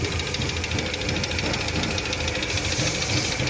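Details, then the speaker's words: Petrol engine idling after the worn A/C compressor was dealt with: light, fairly quick ticking, much less loud than before; hydraulic lifters are suspected but not confirmed. "más aparte tiene un sonido pero lo que puede ser lo que es buzos hidráulicos pero ya no es muy muy escandaloso como eran antes"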